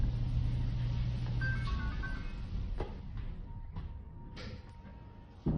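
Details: Dryer after repair, with dry squealing metal-on-metal part oiled and replaced and belt refitted: low, even rumble and occasional soft thumps, no squeal, music over it; normal operation.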